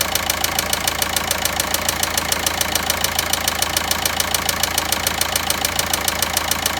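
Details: VW Passat 1.9 engine at idle: sharp, even ticking knock about three and a half times a second over a steady idle; cause not determined.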